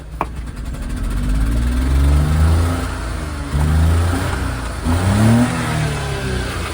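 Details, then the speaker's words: High-kilometre Japanese mini dump truck, pedal fully down: revs surge and sag, sluggish and sounding about to die; owner suspects an exhaust leak or old gas. "Definitely sounds like it's about to [Music] die."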